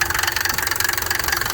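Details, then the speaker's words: Old diesel car being revived, at idle: fast steady clatter about thirteen beats a second over a loping, near-stalling idle; owner suspects a valve. "No, it almost sounds like it's gonna stall out. That's how they sound now. That's the valve."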